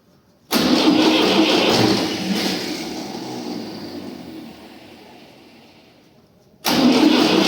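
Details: Tractor diesel, first start after an engine rebuild: the starter cranks for about six seconds and slows without firing, then cranks again. Hard start while diesel fuel lines purge air; the starter also needs repair.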